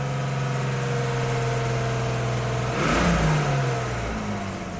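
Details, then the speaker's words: 2002 Jeep Grand Cherokee 4.0L inline-6, after crank no-start repair with cam signal restored: initial misfire cleared, likely a fouled plug; then even, smooth idle and clean quick rev settling back; normal running. "Must have been a foul plug. Yeah, there we go. That's a good running Jeep."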